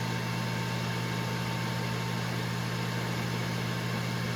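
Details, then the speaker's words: Breville Smart Oven Air Fryer Pro, new, started in warm mode with super convection enabled: steady, even fan rush with constant hum and faint high tone, no rubbing or ticking; convection fan running healthy. "Okay, so I just started it up in warm. I just enabled something known as super convection."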